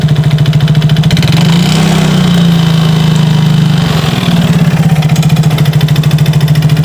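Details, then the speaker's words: Yamaha Mio GT scooter single running after a new spark plug: rough, uneven three-to-four-per-second rattle with lumpy surges and heavy smoke. The old plug was wet because worn, aged piston rings let fuel mix with engine oil. "businya bisa dilihat dalam kondisi yang kurang baik ya basah akibat pembakaran yang kurang sempurna ini karena ringnya sudah termakan usia ring pistonnya jadi bahan bakar bercampur dengan oli mesin terjadilah seperti ini"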